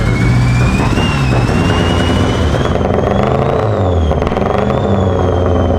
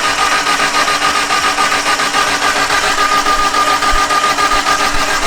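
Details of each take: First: Mitsubishi Evo wagon, sat over a year, just re-timed, 2200cc injectors: fast idle after a cold start with an uneven, thumpy stumble; a misfire not clearing as usual. Owner suspects the injectors. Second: Mitsubishi Evo wagon cranking with the valve cover off to inspect the valvetrain: even rhythm about 3.5 beats per second over a steady starter whine, no clatter. Everything moves and the lifters look pumped up, ruling out a mechanical fault.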